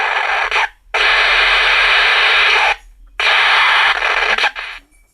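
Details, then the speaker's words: IC-based imitation National pocket radio: harsh bursts of loud hissing crackle with silent gaps and no program audio; faulty capacitor suspected. "This radio أنا سامع صوت يا جماعة، طقطقة بس مفيش"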